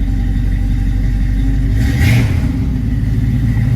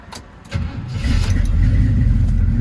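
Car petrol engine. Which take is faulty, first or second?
second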